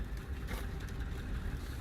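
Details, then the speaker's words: 2009 Lexus GS350 with no electrical power after a battery install, barely running on low fuel pressure: a low, uneven idle that surges and dips as if about to stall. Owner suspects timing, washed cylinders, the fuel pump or the fuel pressure sensor. "engine does not sound good I'm thinking something's out of time maybe no idea but this will not idle can hear how that sounds it sounds crappy this will not stay running"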